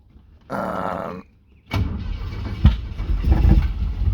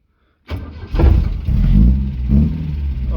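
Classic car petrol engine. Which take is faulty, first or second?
first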